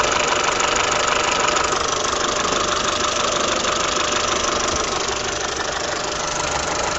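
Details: Peugeot/Citroën TU5JP4 engine at steady idle: a regular tapping knock at roughly three per second rides over the engine note; origin unknown.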